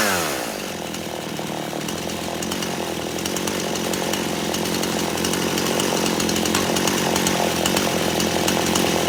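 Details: Poulan Pro two-stroke chainsaw flat out during high-speed screw adjustment: steady scream, bogging and burbling briefly when turned out, clearing to crisp high pitch as screw is turned in slowly.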